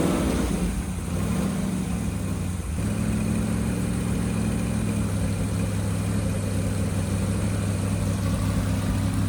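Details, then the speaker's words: 388 small block Chevy with vintage Hilborn mechanical fuel injection, MSD ignition, fuel pressure over 50 psi, first startup: deep, lumpy V8 idle settling into a steady beat after a brief blip; clean, healthy idle. "It sounds good. Yeah, it does. I like it. It does. Yep."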